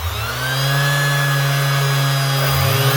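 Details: Brand-new Makita BO6030 hook-and-loop sander run for sound comparison against a slow-running one: motor spins up to a smooth, steady hum with clean, even tones, no rattle or catch; normal running.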